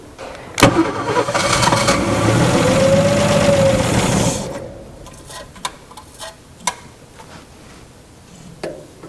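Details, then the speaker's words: Abandoned 1961 Ford Falcon needing a tune-up, no vacuum advance, carburetor smoking: catches with a loud burst, runs rough about three seconds, then dies; acts fuel-starved, blocked or leaking fuel filter suspected. "Okay good yeah it sounds like it's it's acting like it's running out of fuel"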